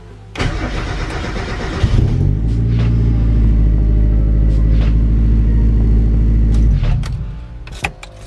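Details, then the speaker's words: Mazda MX-5 Miata NA (turbo) after a DIY coil-on-plug conversion: a short crank, then a clean catch into a steady, even idle with no misses before shutdown, during a brief test run to check whether the coils heat up; normal start and idle. "Alright, that sounded good. Let's feel for it, see if they're warm."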